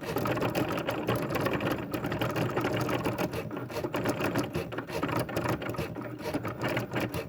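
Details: A fast, harsh, gear-like ratcheting chatter rides over the whole run at a steady speed; something in the drive is loud, cause unclear.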